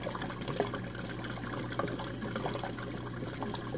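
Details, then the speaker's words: Jenn-Air dishwasher on Quick Wash cycle with no heat dry, one Cascade pod; final drain after last rinse: soft gurgling, trickling water over a quiet pump hum, flow steady and unbroken. Normal drain. "One more rinse and we'll be it. And during the final drain, the dishwasher will stop and the pump will turn on."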